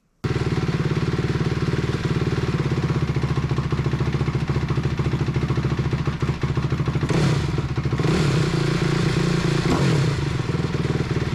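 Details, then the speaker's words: 2004 Honda CRF250R after damaged-head repair, before tuning, rear end still off: the single cylinder idles with a steady even thump and picks up cleanly on blips. Sounds much better; normal running. "definitely sounds much better before we do any tuning let's get the back end back on"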